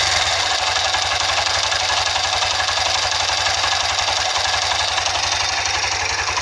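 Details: CBX motorcycle engine: a steady single-cylinder run with a quick, even tapping about four times a second. Internal engine knocking noise, cause not yet pinned down.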